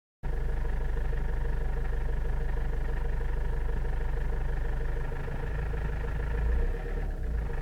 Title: Avensis I strange engine noise at low rpm